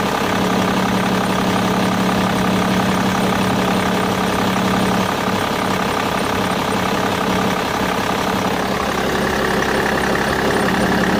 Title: Bmw e61 engine strange noise